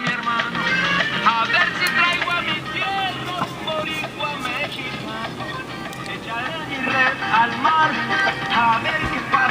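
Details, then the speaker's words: 1935 Crosley 655 tube radio after restoration, tone control tested with the repaired speaker cone dried solid. Music comes through clean and full with no buzz, rattle or distortion at steady volume. Radio and speaker work normally. "Alright, let's try the tone control. Sounds good, huh?"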